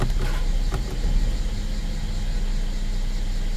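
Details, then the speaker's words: 2016 Mercedes GLE 350 rear-drive (W166): low, steady petrol idle in gear at 600 rpm, even and free of rattle or knocking; normal idle in gear. "Now it's in gear. 600 RPM"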